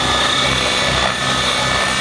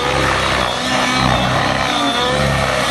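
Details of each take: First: Nitro RC helicopter engine, with the mixture richened for hard continuous flying (tick-tocks, flips): a steady high-pitched scream with a constant low rotor beat and no sag, holding speed cleanly with more smoke. Normal running at full throttle. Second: Nitro RC helicopter in flight with a nearly empty tank, the fuel frothing during hard maneuvers: the engine note wavers and surges, losing its crisp pitch as the tune fades. Lean running from fuel foaming in a low tank.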